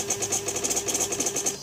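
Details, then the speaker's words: 2006 Suzuki GSX-R600 K6, won't start, FI codes C13, C14, C15, C21, C22, C23, C29, C31, TPS reading low, battery and fuses good: fast high whirring pulses about eight per second with faint hum, then stops; ECU or TPS suspected, cause unknown. "um but yeah just have it listen again like i have no idea what this is and it just will not start"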